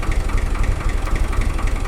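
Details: 1978 Long 460DT tractor after repairs, idling: low even diesel chug, steady beat, no knocks or misses; running healthy; charging light on, possible charging issue.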